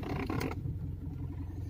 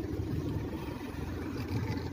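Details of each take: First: 10-year-old Mitsubishi Pajero with the engine idling: a short rubbery squeak-creak as the steering wheel turns, noticed turning left, then just the quiet idle; possibly dry rubber inside the steering column. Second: 10-year-old Mitsubishi Pajero with the engine idling, after lubricating inside the steering column with garage-door spray: the wheel turns with no squeak or rub, only a soft, steady idle; the rubbery steering noise is gone.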